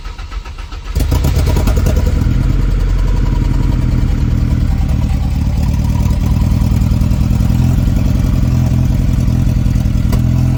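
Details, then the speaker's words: Ford Ranger 2.0 EcoBoost first start with a new high pressure fuel pump and a missing ground reconnected, no coolant, downpipe or O2 sensors: lumpy, uneven idle breaking up before clearing toward the end. "It ran, I just cut it off. It was just kind of breaking up there for a minute, and then it cleared up right toward the end."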